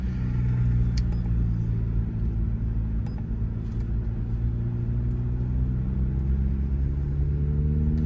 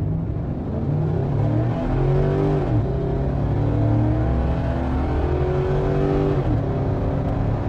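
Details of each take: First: SUV with a stage 2 cam and springs, variable valve timing locked out, still on the stock tune, recorded from inside the cabin: a low, heavy idle with an uneven lope. It often stalls at stops until a custom tune is loaded. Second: V8 with stage 2 cam and springs, custom tune just loaded via SCT X4 programmer: pulls hard from a stop all the way through 6000 rpm, pitch climbing steadily through each gear with clean shifts, no stumble; strong acceleration through rev range.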